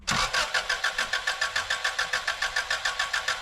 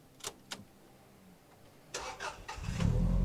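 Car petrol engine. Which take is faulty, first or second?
first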